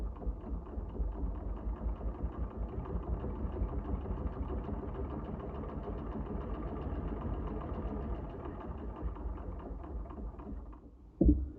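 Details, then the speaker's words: Singer 99 with black badge, size 14 needle, sewing a hem through 5 layers of canvas: even, steady stitching rhythm holds its pace with no stalling or thumping, handling the thick layers with no problem. "So that's now 5 layers of this canvas. no problem."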